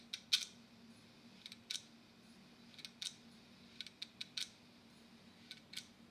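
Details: Western Digital laptop hard drive, opened and powered up: sharp dry ticks at uneven intervals, roughly two a second, over a faint hum; the click of death, with the head sticking while seeking.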